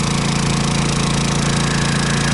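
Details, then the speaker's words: Honda 2200 generator at 13.1 hours into an extended run powering an RV air conditioner: smooth, even engine drone with a low steady pulse, no knocking or surging; normal running under load. "this is it this is all the noise that it makes"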